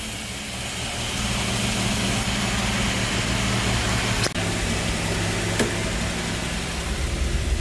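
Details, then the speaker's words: 3800 engine with an F23 transmission, swapped into a Grand Am GT with a custom harness, new coils and ICM, on its first start: a lumpy, uneven idle with an irregular low throb and some hiss. The owner suspects a bad vacuum leak. "Hey, she started with the key, baby! Definitely sounds like it has a bad vacuum leak somewhere."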